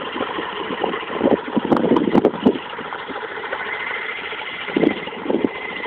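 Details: Mazda RX8 rotary engine idling with irregular sharp knocks over a steady hum; owner also reports slow revving at low revs, cause unknown.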